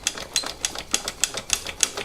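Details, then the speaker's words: Bianchi Strada road bike caliper brakes during tune-up: sharp high squeak repeating about three times a second as the brake is worked; dry brake pivots, squeak gone after lubrication. "Just trying to find all the little nooks and crannies for these brakes so they can move freely. Some of that noise. Yikes."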